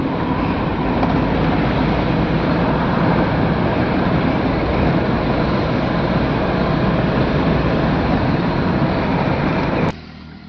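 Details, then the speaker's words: 2013 Mahindra Xylo D2 diesel, DTC P0117 coolant temperature sensor, check light on, temperature light flashing, gauge not rising: steady road drone then abrupt drop as engine dies while driving. "यह गाड़ी का जी गाड़ी जैसी कटेगी थोड़ी उसके बाद में ऑटोमेटिक गाड़ी बैंड हो जाएगी"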